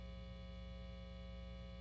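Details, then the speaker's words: Upgraded Foals FJM7 Ultra Jazzmaster copy with anodized aluminum pickguard and body shielding, bridge-only single-coil pickup selected: constant low buzz at steady pitch with no playing; 60-cycle mains hum from the single-coil pickup. "You can hear the 60 cycle hum for sure."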